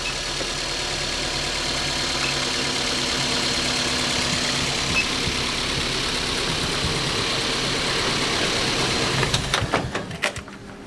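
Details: Car investigated for hard starting with clicking, with battery and alternator tested and charging normal at about 14.4 V: smooth, even idle with a steady hum, no knocking or stumbling, then handling clicks. Normal idle.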